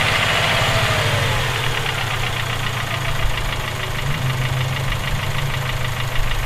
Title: Rod knock? Ej257